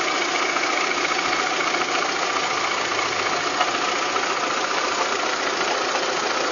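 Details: Volkswagen Golf 3 engine with a rapid, busy ticking knock running steadily through the idle at roughly three to four per second; abnormal engine noise, cause unknown.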